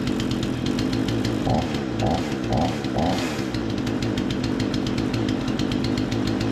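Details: Remington 46cc chainsaw, low-speed screw turned about an eighth clockwise to lean a suspected rich mixture: steady crisp buzzing idle, even firing, no hunting or stalling; seems dialed in; normal idle.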